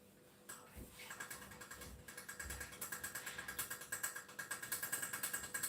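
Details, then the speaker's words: Saladmaster pan cooking white soup: quick light ticking of the vapor valve, about three clicks a second and getting louder; the valve clicking signals to turn the heat down to low-medium. "so remember insulin master you can hear the valve taken again just keep turning it down to low medium click low"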